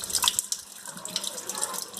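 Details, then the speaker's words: Water tap that used to vibrate and make noise when closed slowly, after repair of a loose rubber washer at the tip: only a soft, even rush of water, no squeal, hum or chatter; tap now quiet. "Consertei o pequeno bem devagarinho e vão ver que não vai fazer mais barulho"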